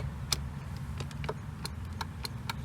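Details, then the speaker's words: Flood-damaged Hyundai Palisade passenger power seat: relay clicks sharply three or four times a second with no motor hum, so the switch works; seat height motor suspected seized. "could be the problem, because I can hear the relay clicking, so the switch is working."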